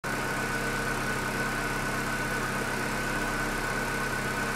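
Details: Chevrolet Corsa Classic 1.6 (not 16-valve) that arrived on a tow truck not starting, now running: steady even idle, smooth low hum with a faint constant high whistle, no knocks or misses; healthy.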